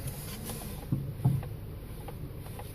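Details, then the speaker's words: 2010 VW CC after B&G S2 sport spring install, with brand-new strut bearings: front clunking and popping when turning the steering wheel, two dull low thumps over a quiet rumble, worsening over days; cause not yet confirmed. "so when you turn steering wheel hear a lot of noise in the front like a clunking popping noise now I can hear it I don't know if you can hear it"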